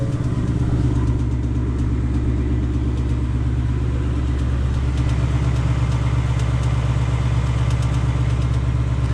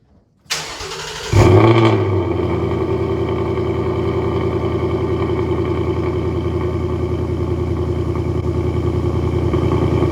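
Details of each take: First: 2020 Ford Mustang GT V8, new, engine tick first heard around 1,000 miles: fast, fairly regular light metallic ticking over a steady idle rumble; the owner says it doesn't sound right and the cause is unknown. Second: 2020 Ford Mustang GT V8 cold start before a dealership visit for a rattle: brief crank, a sharp rev flare, then a deep, steady, even exhaust rumble. Healthy cold start.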